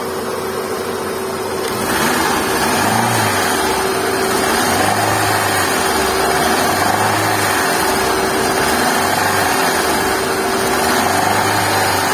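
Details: Hyundai i10 with oil warning light: quiet at idle, then harsh mechanical clatter swells as revs rise; suspected camshaft/top-end noise, low oil a likely cause.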